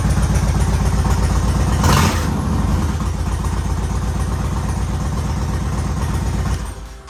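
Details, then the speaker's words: 2013 Yamaha Raider V-twin after tune-up with oil and filter change, new air filter and spark plugs: lumpy but even pulses, a clean throttle blip, then steady idle with no ticks or knocks; sounds good. "She sounds good."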